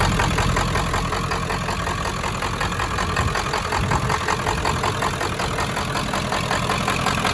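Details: 1995 Ford F350 7.3 Powerstroke diesel, first run after 10 years, glow plugs possibly not working: clattery uneven idle with slight stumbles, knocky like a miss; owner suspects injectors, unconfirmed, sounds healthy when revved.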